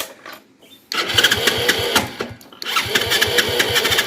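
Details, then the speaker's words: 2017 Hero HF Deluxe self-start motorcycle after starter (self motor) noise fix: small single revving with fast, fairly even ticking, no starter grinding; starter side fine, only timing-chain noise remains, chain kit to be changed. "नहीं है बिल्कुल सही आवाज ए रही है कोई side में आवाज नहीं है ओनली जो आवाज है जो बाइक के टाइमिंग चैन की आवाज है"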